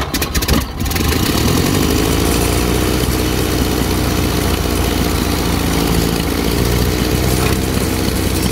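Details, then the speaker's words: 1931 Ford Model A, 200.5 cu in flathead four, 4.5:1 compression, off the road 65 years. First start with choke and starting fluid: sputtering start, then rough, lumpy running. Updraft carburetor dumping fuel, flooding; removed to be cleaned. "Well, I pulled the old updraft carburetor off because it was dumping fuel, as you guys saw."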